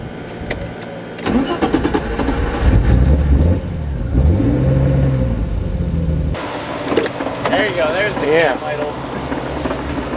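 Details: 1991 BMW 325i E30 running Megasquirt 3; cranks and catches quickly, then settles into an uneven loping cam idle with a rolling beat.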